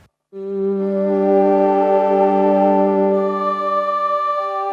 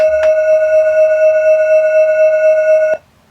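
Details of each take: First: Roland D10 synth during restoration, playing B-bank patches. A held chord carries a gritty distorted edge. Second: Roland D10 synthesizer during restoration for sound distortion and echo issues: a pure, steady mid-pitched test waveform holds about three seconds and stops cleanly, with no crackle, warble or distortion; this waveform plays correctly.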